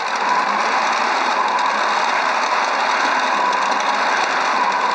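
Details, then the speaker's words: Qnique quilting machine running a fast, even rattling stitch with faint popping underneath, because the top thread was deliberately unthreaded from an eyelet and not pulled through the tension disc, producing loops underneath. "you can hear it popping too underneath."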